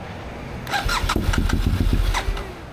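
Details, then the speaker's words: 2015 BMW F800R with check engine light, unstable high idle after washing: starter churns with quick, even compression pulses for about a second and a half, engine never catches; hard start, owner suspects fuel pump, not confirmed. "And it's really hard to start for some reason. Maybe fuel pump, right? So this is another issue that, you know, it's having since I got it."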